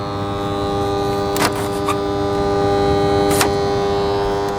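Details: Dehumidifier on the bench, reported to make weird noises and not always come on: constant electrical buzz with steady tones and a couple of clicks, fan blowing.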